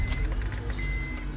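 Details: 2005 Honda Accord after replacing the worn ignition switch contact: steady low even idle hum with no stumbling, misses or surging; normal idle.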